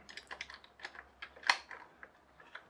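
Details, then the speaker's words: HL Toys RC bulldozer power scraper (HL 3058), wheels turned by hand with a 3D-printed replacement differential gear: light irregular plastic clicking as the slightly undersized gear skips its teeth; needs about 0.5–1 mm more diameter. "I can hear it clicking, because there's a bit more slack in there than me holding it in place. So I think, although we're nearly there, we're not quite there. It needs to be a tiny bit bigger."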